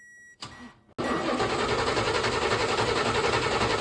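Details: C3 Corvette carbureted engine, died on the road, fuel present: steady starter cranking about four turns a second, never fires; no spark, coil voltage 8.2 V while cranking.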